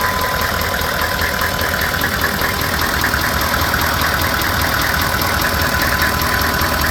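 A steady idle with a repeating knock riding on top at about two to three beats a second; the source of the knock is unclear.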